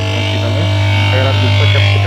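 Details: Whirlpool top-load washing machine with a non-original replacement run capacitor fitted: motor gives a loud, steady low hum and runs noisy; only the capacitor is at fault, and fitting the correct one resolves the noise.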